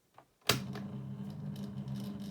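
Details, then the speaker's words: 2000s Rainbow 9-inch desk fan on lowest speed: click at switch-on, then low hum with uneven, wavering tone; works okay-ish but runs rough and needs work. "See what I mean? It works okay-ish, but I think it's going to need a bit of work."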